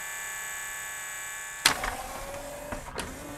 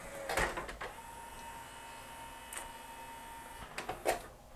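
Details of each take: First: Yamaha CDC-697 5-disc CD changer, tray won't close: steady loading motor whir with no tray movement, then a few clicks, belt slipping from migrating grease; fix is cleaning belt with acetone. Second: Yamaha CDC-697 five-disc CD changer after cleaning grease off loading belts with acetone, deglazing pulleys and cleaning the optical pickup: soft clicks and whirs, then a faint steady spin as it clamps the disc and reads the table of contents normally.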